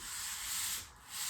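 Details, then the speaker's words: Combat robot test drive: a steady, unrhythmic hissing scrape while it drives, because the low wedge drags along the floor, low enough to get under floor tape. "You can really hear it scraping on the floor. It's low enough that it's actually like getting under this tape over here."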